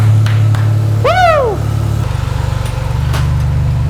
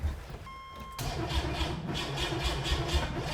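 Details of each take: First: Rebuilt junkyard turbo 4.3 V6 in AWD S10, first start after rebuild and timing fixes, timing set at 10°: catches and settles into steady even run with brief early rev, no knocks or misses. Healthy normal running. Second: Rebuilt junkyard 4.3 V6 in turbo AWD S10, first start attempt after rebuild, primed oil, fresh fluids: brief chime, then starter spins engine evenly and fairly quickly for two seconds without catching. Cranks, no start; timing issues later found.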